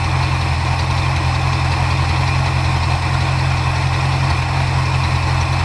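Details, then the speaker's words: 1977 Ford Ranchero GT 351 Windsor 5.8L V8, 3-speed FMX auto, after carb rebuild: idle mixture screw leaned then backed a quarter turn to stop bouncing; deep steady V8 idle, even lope, no stumbling; runs smooth. "adjust this one a little bit cuz it's still bouncing pretty good you hear how when you lean it out he how it changes bring it back up about a quarter turn smooth it out"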